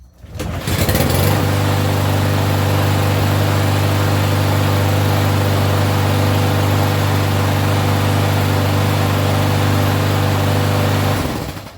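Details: Troy-Bilt TB230 lawnmower with Briggs engine that started then died, after carburetor servicing and reassembly: starts cleanly and holds a steady, even drone for about ten seconds without surging or dying, running normally.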